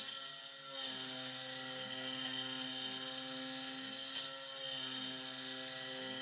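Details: SX2.7 CNC mill conversion with NSK ATC spindle cutting a steel lathe leadscrew handle: harsh high screech with choppy chatter about three times a second on the ramp, cutter struggling, cause unknown.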